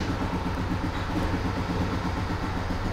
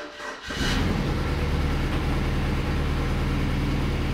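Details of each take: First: BMW E92 320i with freshly rebuilt engine, idling with a slightly uneven, stumbling beat; misfire on cylinders 1 and 4. Injectors and coils swapped without change; swapped spark plugs made the codes follow, and new plugs helped only briefly. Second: in from what I saw this car has m delete and you can hear it it's a bit louder than usual sounds decent though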